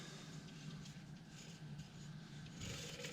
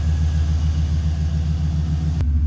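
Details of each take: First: Removed alternator from 2002 Chevy Silverado 2500 HD 4WD 6.0L Vortec, hand-spun off the truck: rough, gritty rumble with uneven scraping as it coasts down; worn bearing, cause of the growling under the hood. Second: 2002 Chevy Silverado 2500 HD 4WD, 6.0 L Vortec V8, after replacing an alternator with a growling bearing: smooth, even low idle rumble with steady pulse, no whine or belt squeal; the belt is a slight concern.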